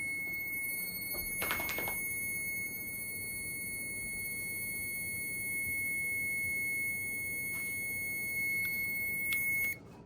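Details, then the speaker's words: Gas furnace on a no-heat call with an old Z-Flex liner in the chimney: a shrill high-pitched beep repeats over quiet room hum as the carbon monoxide alarm warns of flue gas from the furnace. "Yeah, getting the alarm. I mean, it's bad. Well, it ain't good."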